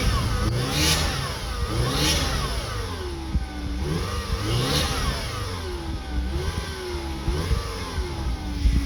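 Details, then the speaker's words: 1995 Eagle Talon TSi after timing redone, balance shaft belt and idler replaced, new plugs: thin whine rising and falling with revs plus light squeak from power steering pump; idle still surging. "Still got squeak. It's on the power steering."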